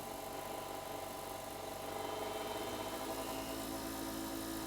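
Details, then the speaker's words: Hercules 8-inch bench grinder (5 A, 0.9 HP, variable 2000–3400 rpm) at half speed, microphone close, after replacing an unbalanced chipped wheel: a quiet, steady hum with no vibration or rattle. It runs smoothly. "look at that it's not even vibrating off really really smooth that's halfway up"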